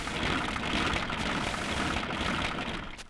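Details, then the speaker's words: Old car engine, hot, throttle blipped, with a dense clashing rattle from worn timing gears. "that's worn timing gears and you can hear it when the engine is hot and you'll flip the throttle"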